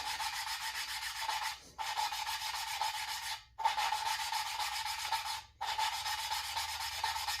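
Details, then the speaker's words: Valve lapping on a 1949 Farmall Cub engine: gritty rubbing strokes in bursts about every two seconds with short pauses, sound already changing as the seat smooths; normal lapping, even ring forming. "so I can hear the sound changing [Music] already"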